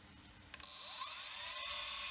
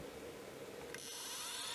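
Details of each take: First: 1989 Acorn A3000 IDE hard drive: whine climbs, holds about a second, then winds down with a tick, cycling up and down; owner suspects a power supply issue, cause unconfirmed. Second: 1989 Acorn A3000 hard drive powering up after repair, microphone close to the drive, which had been spinning up and down and stopping: a quick click, then a clean whine climbing smoothly to speed with no cycling; it loaded the OS normally.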